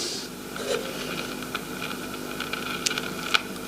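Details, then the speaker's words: AWA B15 valve radio chassis, recapped, no speaker connected: irregular scattered crackles and sharp pops over steady hiss; suspected silver mica disease or loose valve, not confirmed; crackling noise. "so it sounds like silver marker disease or a loose valve"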